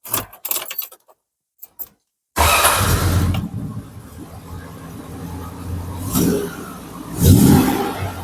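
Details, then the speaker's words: Mk2 Triumph Stag V8 after ignition timing and Zenith Stromberg carb balancing, started and idling: even, steady, smooth idle with a couple of clean blips; normal idle. "And I'm sure you'll agree, if you hear that as clearly as I can, that is pretty blooming smooth."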